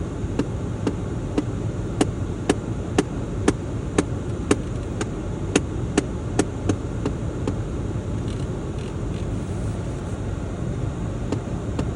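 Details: VW Golf 7 heater blower: sharp evenly spaced knocks about twice a second over the fan's rush, thinning out and gone when the blower is turned down; cause unknown.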